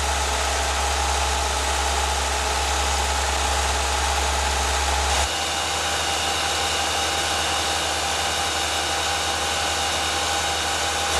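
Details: CFI/EFI engine heard from above and below at idle and 2000 rpm: steady running with a dull, uneven knock that changes with engine speed. Piston slap from loose piston skirts in the bores.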